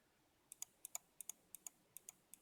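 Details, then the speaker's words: Mionix Naos 7000 mouse, left button: paired sharp clicks, about two presses a second, each with a thin hollow snap; owner suspects the switch bounces back against the plastic shell, unconfirmed. "I don't like that like it's making like a hollow noise underneath it and it doesn't feel good when I pressed down"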